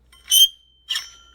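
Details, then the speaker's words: Old water pump removed from a 1991 Dodge Dakota 318 V8, replaced for a leak after over 100,000 km, spun by hand: three short shrill scraping bursts with thin ringing squeal as the impeller hits the casing; new pump spins smooth. "another thing i want to show you with the old one i don't know what's causing it but there's some scraping"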